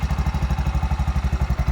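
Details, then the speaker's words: Bajaj BS6 auto-rickshaw on CNG, over 2 lakh km, after timing chain work: steady low idle thump about ten beats a second with light quick "chik chik" tick from the gas injector, which stops on petrol; normal. "ಚಿಕ್ ಚಿಕ್ ಚಿಕ್ ಅಂತ ಇರೋದು injector sound ಹ petrol ಬೇದಲ್ಲ"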